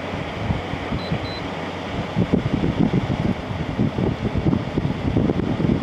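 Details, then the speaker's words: LG ThinQ 10000 BTU air conditioner after capacitor replacement, fan on low: steady whoosh with soft hum and airflow flutter, louder on low than an older LG unit but normal; little difference between speeds. "not not quite as quiet as that other big LG I had that older one that one is really quiet on low this one's not quite as quiet"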